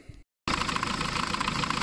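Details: Diesel being test-run, fed by a hose from the lift pump. After a short gap it catches and settles into a steady, even clatter with regular light ticking; it runs normally.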